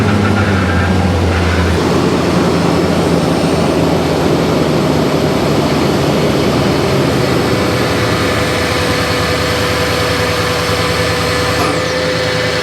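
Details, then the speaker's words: 2011 Toyota Tundra 4.6L V8 after power steering rack replacement and refill, wheel turned lock to lock at idle: steady idle with gurgling, hissing whine as air purges through the power steering pump; no leaks. "So, I've got somebody in the vehicle turning the steering wheel all the way lock to lock. And you can hear all that air working its way out of the pump."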